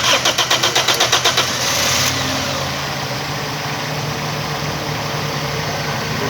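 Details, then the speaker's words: Starter whirs through about a dozen quick turns, catches, then idles with an uneven, stumbling beat on a Toyota Corolla; misfire caused by a faulty ignition coil. "जैसे आप देख सकते हैं गाड़ी हमने स्टार्ट कर दी है और चेक करने के मिसिंग कर रही कि नहीं कर रही। अच्छा, ये चलते चलते मिसिंग करती है।"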